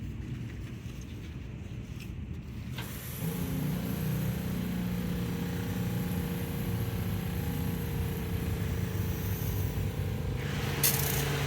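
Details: Southeast Softwash Alumimax Pro skid soft wash system, pump retested after repairing an air leak that made it suck air: after a quiet start it picks up to a steady even low drone with no sputter or air gulping; normal operation.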